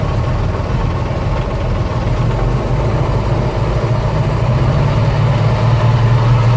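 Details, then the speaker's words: 1985 Bayliner Trophy inboard, out of the water at least 3 years; deep steady rumble, even beat, no stumbling; running smoothly on its own. "Well, it runs. See if I can get it to idle when I throttle back down. But she's running."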